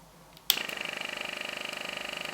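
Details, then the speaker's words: NPR film camera, crystal speed set to 24 fps: motor starts sharply, then shutter runs with a fast, even ticking whir of about twenty beats a second, holding steady; camera fully working, normal running. "I don't is anything else to tell you really that's the shutter running and that's it part"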